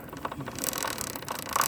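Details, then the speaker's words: Motorcycle in neutral, rear wheel spun by hand: quiet chain-drive whirr with faint uneven rotational clicking; chain greased every 200-300 miles, bearings checked good; owner suspects front sprocket or behind it. "running rotational noise almost it's weird I'm just freehanding spinning the tire right now"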